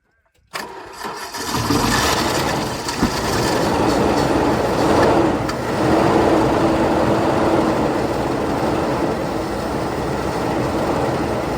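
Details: Ford EB Falcon with a new coil and no fuel pump, fuel poured down the breather: brief cranking, then it catches and settles into a steady, even run with no misfire or knock; normal start and run.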